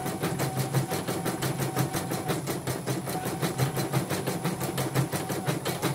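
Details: Portable embroidery machine shipped from Sekayu, South Sumatra with complaints of no embroidering, blank screen, hoop not positioning and dead touchscreen; test stitch after mainboard, LCD and touchscreen work: even needle clatter about three stitches a second over light motor hum, no knocking or grinding; normal stitching.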